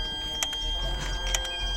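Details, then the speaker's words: Mercedes CLS 320 CDI 3.0 diesel with big power loss, electronic turbo actuator commanded via engine computer test: faint steady whistle from powered ECU with short buzzing bursts as actuator tries to move, vibrates and sticks. "on entend qu'il essaye d'être actionnée mais il vibre un peu on tenté quelque chose qui coince"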